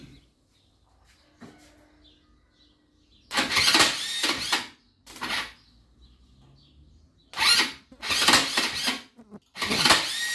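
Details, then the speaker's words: Abandoned Linhai ATV, first start after restoration with new gaskets, piston and rings and fresh oil: engine catches and revs in sharp bursts, picking up cleanly each time with quiet gaps between; it fires and revs properly. "Să dăm o porneală să vedeți cum pornește, dar să-i pun fișa întâi."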